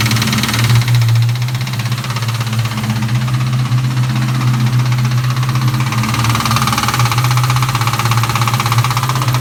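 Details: 1998 Mustang GT V8 idling with a deep steady drone and quick light ticking over the top; cause unknown to owner, valve covers already checked and fine under them.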